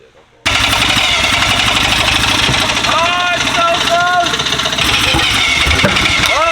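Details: Rotary engine on first start of a fresh build: spins on the starter with ragged, uneven firing attempts that never catch; sounds out of ignition timing, low compression from fresh build also suspected, cause unconfirmed.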